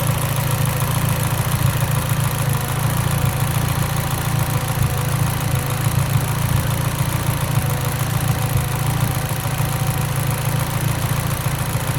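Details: Mitsubishi Evo X at idle: low, lumpy idle with an uneven stumble about three times a second in the exhaust beat; idle misfire, suspected lean.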